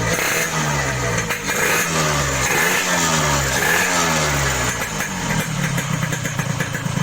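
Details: Yamaha RX King two-stroke after reboring, which cured excessive piston clearance and the previous harsh rattle: crisp, even idle with steady popping exhaust and light blips, no rattle; smoother, normal idle.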